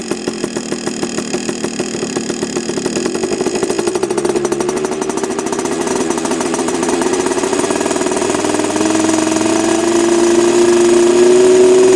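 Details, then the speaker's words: Heavily modified Yamaha PW80 two-stroke with FMF parts, revving: crisp even popping climbing smoothly with throttle, louder than stock, no misses or rattles; engine healthy. "I think she's already open now well but she sounds a lot better than stock anyway um a lot more uh loud as you can hear"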